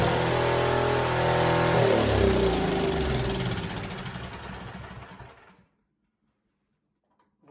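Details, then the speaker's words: Snowblower small single-cylinder engine after coil replacement: holds a fast, steady buzz without easing off, then winds down and dies; throttle not lowering revs, owner suspects something pinched in the throttle. "It works. I think something with my throttle here is pinched because my throttle, if you noticed, it wasn't slowing down the RPMs at all."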